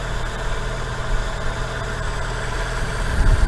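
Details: Fiat Punto 1.2 idling after a rocker cover gasket replacement that fixed an oil leak, with no leaks now visible: a smooth, even low rumble with no knocks, ticks or hunting. Normal idle.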